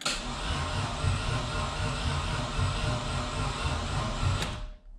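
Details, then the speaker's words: BMW E36 turbo build first start attempt, cranking only to build oil pressure with a very dead battery: labored, uneven starter churn about four pulses a second, no firing; sluggish cranking. "so this is just gonna get the oil pressure going that battery's super dead"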